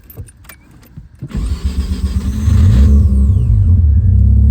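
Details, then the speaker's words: Mazda FC RX-7 rotary with a new Duralast Gold starter replacing a failing one: brief loud starter whir, then the engine catches and settles into a loud, steady, even run; normal cranking and start. "I also threw a new starter in it so this car starts right up which is great um the starter was like becoming a problem so hear this insane starter this starter sounds like uh it's the Duralast Gold joint so"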